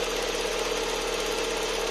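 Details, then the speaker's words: Lada Vesta warming up at idle: fast, fine ticking chatter steady over a smooth idle; characteristic noisy EVAP canister purge valve cycling, before adjustment. "заведем наш весточку сейчас она прогреется компьютер даст сигнал сработает датчик мы слышим характерный звук клапана"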